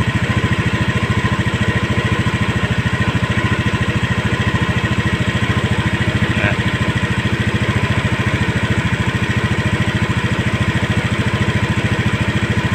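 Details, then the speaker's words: Honda Scoopy eSP single-cylinder scooter, idle raised to a stable 1600 rpm via the throttle body air screw to fix non-working idling stop; even steady beat holding one speed, no hunting; normal idle after adjustment. "stasioner nya sudah stabil di angka 1600 Sekarang kita coba lagi buat Jalan Apakah sudah bisa berfungsi idling stop nya"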